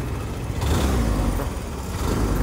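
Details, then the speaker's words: Hero Maestro Edge 125 scooter after a battery change, where a faulty starter relay had kept the self-start running continuously: steady low engine drone with a gentle rise in revs, no knocks or rattles; running normally. "Okay, self కూడా క్లియర్గా ఓకేనే చూసుకోవచ్చు. Running condition కదా వచ్చింది vehicle, problem ఏం"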